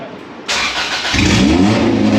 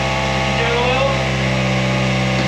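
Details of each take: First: Honda Civic with a swapped-in B16 engine on its first start, no exhaust fitted: cranking bursts, then the engine catches and revs loud and ragged. Runs, but rough. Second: Honda Civic with swapped-in B16 engine, first start with full exhaust and catalytic converter fitted: steady smooth idle, then four clean throttle blips rising and falling crisply, no knocks or misses; healthy engine.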